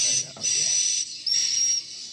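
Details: Piro MW-89 8-channel swiftlet amplifier whose player 3 (channels 5-8) gave no sound, with its flash player moved to player 2 channel 4: high chirping bird calls play clearly in bursts with no hum or distortion, so the channel plays normally.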